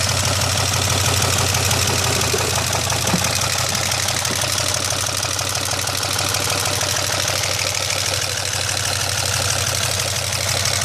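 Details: 2002 Pontiac Bonneville SE idling after an hour-long 75 mph drive during which the oil pressure gauge read down to zero and it seemed to miss; rapid regular metallic knock tracking engine speed, owner believes the motor is done, bottom-end damage suspected.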